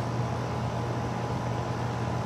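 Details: Outdoor AC condenser running on a no-cooling call where cans were left on the unit; about 7 amps, pressure 105, 71°F day. Steady low hum with smooth fan rush, constant, no rattles or buzzing; running normally.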